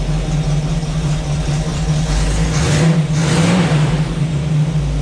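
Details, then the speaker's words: Small-block Chevy V8 in a Jeep YJ, running after fuel system check with mechanical fuel pump: deep even rumble swelling cleanly through a rev and settling back, no misses or knocks; engine healthy. "y'all that sounds so good oh man i want to drive this thing now"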